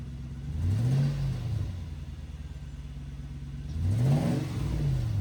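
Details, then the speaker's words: Toyota 100-Series Land Cruiser exhaust after a welded repair of the badly leaking cats and muffler section: two clean rev blips rising and falling smoothly with no puffing or ticking, sealed and healthy, no rattles, not too loud. "No rattles. The pipe doesn't hit the chassis anywhere. It's the perfect amount of uh rumble in the car. Not too loud."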